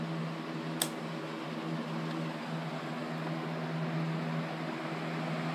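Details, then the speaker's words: Homestyles electric fan running: steady low motor hum with an even airy whoosh, no rubbing or rattling; normal running. "but anyway this thing actually does run"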